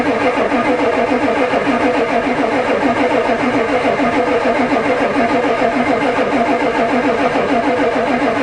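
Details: Ford diesel truck at +4 °C, steady starter churn of about 3.5 turns a second, no catch; the new glow plug controller never clicks, owner suspects it doesn't work.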